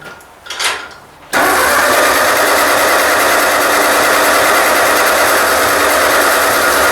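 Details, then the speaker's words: Ford 2N tractor: steady, fast churning crank that never catches; spark confirmed at the plug and fuel dripping from the carburetor, owner suspects it is flooded (easy to flood); cranks but will not start. "that's weird it's got spark i checked the spark plug here and it had sparks so that's weird why it's not firing she's definitely got fuel she's dripping out the carburetor now"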